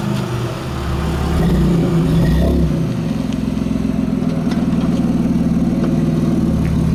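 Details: 1993 Dodge Stealth with automatic transmission slipping and getting stuck in gear, awaiting swap to a rebuilt spare: revs flare on take-off, then settle into a labored drone without pulling through under load; transmission slipping.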